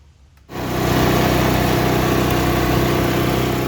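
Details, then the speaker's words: Murray Ultra 5hp 22-inch snowblower, Tecumseh engine, after carb cleaning for a no-start: with throttle on it catches at once and settles into a steady, even mid-pitched run with no misses or knocks, normal running. "Pull the throttle on. All right, like the way that sounds."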